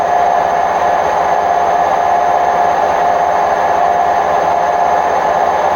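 Loud, constant roaring rumble at full spin with no letting up, typical of worn drum bearings.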